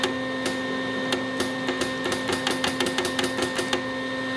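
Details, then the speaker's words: Lincoln Electric Weld-Pak 125 HD converted from flux core to MIG, newly fitted 12V 1/4" brass gas solenoid valve tested with welder on: crisp repeated clicks, about twenty in a few seconds, over steady hum; solenoid working. "the solenoid is indeed working."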